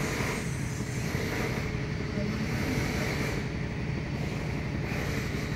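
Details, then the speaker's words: Samsung top-load automatic washer after repair of DE error and no-spin fault: even continuous whooshing hum at steady speed, no knocking or scraping; now spins properly. "yan ma'am nagspin try na po na Ayan po nagspin Try"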